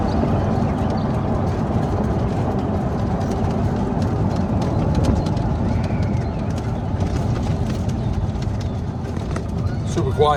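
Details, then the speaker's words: Club Car Precedent golf cart with a Madjax triple track roof, after the squeak fix, driven over a bumpy road: only low road rumble and soft thuds, with no squeak or rattle; the fix worked. "right here is where it's going to be super annoying or where it was is quiet super quiet that fixed the problem"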